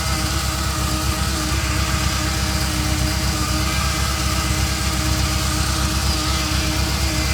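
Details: Ferrari Mondial 3.2 at idle shortly after a cold start: a constant buzz that begins about 15 seconds in as oil pressure rises and fades when warm, loudest on the braided oil hoses to the fan. Source unconfirmed.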